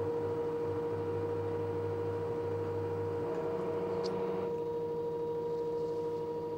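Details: LG direct drive 6 kg F1058ND5 washing machine giving a steady mid-pitched whine over a low rumble. Noisy washer, owner suspects the pump, not confirmed.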